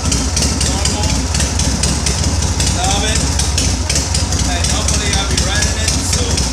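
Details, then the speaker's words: 1983 Shovelhead motorcycle after primary chain and oil-hose/leak work (inner gasket redone): loping, slightly uneven V-twin beat about two pulses a second, steady and clean with no knocks. Normal, healthy idle. "And this is how it should sound like. Sounds nice. Crank it up. Normal."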